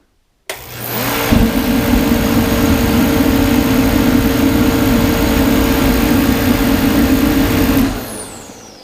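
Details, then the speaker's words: DeWalt torpedo heater, previously not lighting and spitting fuel, after turning the fuel pressure adjustment screw up one and a half turns: blower spins up and burner lights into a steady, even roar with a constant low hum until shutdown; firing properly. "I turned it a turn and a half and now it fires up and I will demonstrate that right now"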